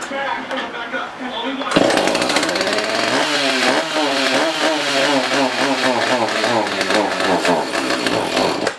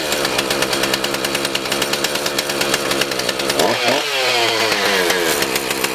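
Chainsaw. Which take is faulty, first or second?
first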